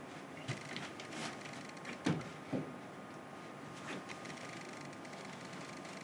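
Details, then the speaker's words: Nikon Z camera with adapted F-mount 1.8 prime lens, subject moving close: soft, irregular clicks and faint whirs as the autofocus motor hunts and settles, working normally. "now I can hear it certainly doing something I can hear the clicking and wheezing so I know the autofocus is active"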